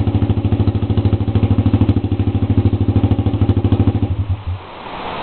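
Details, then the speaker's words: Honda CB125 four-stroke with exhaust cut off, baffle and spark arrestor removed, at idle: deep, raw, rapid popping beat, harsh and loud for a 125, then shuts off; loud cut-off exhaust. "it's pretty nasty for a 125 four strokes the exhaust is cut off"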